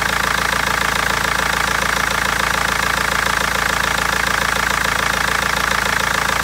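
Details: BMW 320d diesel at idle: even rapid clatter about three per second with occasional stumbles, knocking with misfires; injectors or tappet suspected, mechanic and seller unable to find the cause for over a month.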